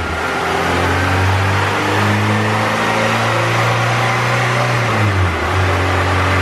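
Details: EK coupe Honda B18C GSR, rods and pistons, eBay turbo on log manifold, 1000cc injectors, stock GSR cams, on dyno at about 6.5 psi to 7,000 rpm, running rich: pulls hard, pitch rising smoothly through VTEC without stumble, then drops off.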